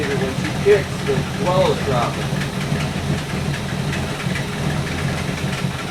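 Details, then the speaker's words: 1964 Buick Electra 225 401 Nailhead V8, warmed up, idling after Carter AFB rebuild; occasional stumble about once a second as dwell drops and returns. Intermittent misfire; owner suspects aged condenser, unconfirmed. "So when it's behaving pretty good now that it warmed up, but every now and then it starts to drop out. And I can watch the dwell meter drop down and then come back."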